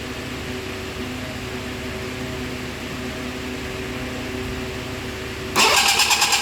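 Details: 40 hp two-stroke outboard given a little gas: steady starter cranking for several seconds with no catch or firing, then a louder pulsing burst at the end; cranks but won't start.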